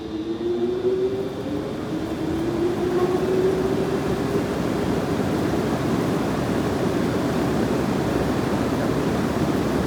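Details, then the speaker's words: 1908 Davidson Ventilation Company 48-inch exhaust fan starting: the startup thunk is the rotor pulling forward to align in the stator, then a falling hum and a deep, even whooshing rumble from the big blade as the motor runs up normally. "You hear that thunk when the motor starts up? Yeah. That motor means business. That sound is it's pulling the rotor forward to align it in the stator."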